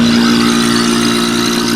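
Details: Marvac GA-271A AC vacuum pump, split-phase AC induction motor, after freeing seized armature shaft, likely unused 30 years: steady electric hum, firm mid-pitched drone and airy intake hiss; runs smoothly, motor heats quickly, good suction.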